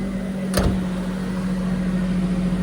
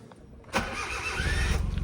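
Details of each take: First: Kei car at a Japanese auction, grade 3.5C, 221,000 km: the small engine hums at an even, steady idle with no knocks, misses or surges; doesn't sound bad, a normal idle. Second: 1998 Suzuki Jimny (import-legal, 4WD, clutch possibly worn) at a Japanese auction: a short, buzzy electric-sounding whir while cranking, then the engine catches into an uneven low idle; unusual starting noise, cause unclear.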